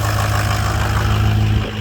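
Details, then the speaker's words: Ford 6.0 Powerstroke diesel after replacing the faulty aftermarket standpipe, torqued to 60; started after a long crank; steady low hum, even rhythm, no misfire or knock; normal idle after repair. "Alright, so she's running. She's alive again. That's what it was."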